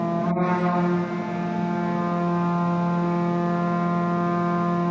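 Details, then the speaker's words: Collins Aerospace ram air turbine in a wind tunnel, already at speed during an automated step-load sequence of changing loads and air speeds: steady strong tonal whine dipping briefly early, then holding constant; normal run. "So here you'll be able to hear, you can actually hear the change in turbine speed as those different loads or air speeds are being applied."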